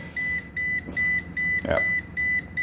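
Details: Newly bought Magical Butter Machine loaded with mint and half a litre of MCT oil keeps beeping about every 0.4 s and flashing red, shutting down early after ticking as it heats; cleaning the sensor didn't help — cause unknown.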